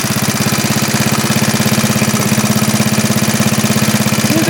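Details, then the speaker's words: 1939 Onan single-cylinder generator, running after repair at 115 V; starts easily, no smoke, good compression, seems low-hours. Even, steady chuffing at about 200 beats a minute with no flutter or misses. "That starts up way too easy and it doesn't smoke in the slightest. Good compression."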